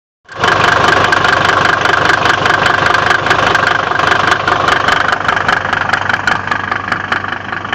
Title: Om605 knocking sound 2